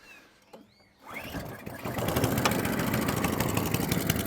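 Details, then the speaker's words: Atco Balmoral cylinder mower, unrun for 9 years, after manual carburettor main jet and emulsion tube cleaning: fires on first pull and settles into a quick, even single-cylinder beat with no misses; normal running, before carb tuning. "lovely so fired up on first pull"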